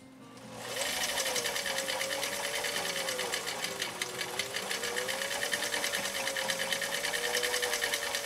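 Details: 1955 Husqvarna Viking Type 21 Class 20 sewing machine (1.5 amp), restored, sewing shell pattern (stitch 1, cam A) at width four with size 90/14 leather needle: quick even needle chatter over smooth motor whirr, soft music behind, no binding or knocking; normal running.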